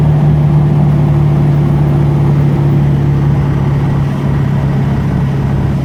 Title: Whining Noise